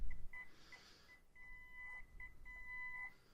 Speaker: but it just it just it struggles it struggles and struggles and then it jumps and i mean that's not bad it's not horrible for one i hate that sound like i said before the old like fax machine sound there